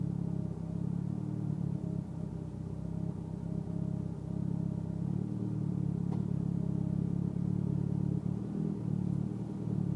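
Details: Mitsubishi Evo X at idle: a low rumbling idle that wavers and dips irregularly about every second instead of holding steady. Rough idle, cause not yet known.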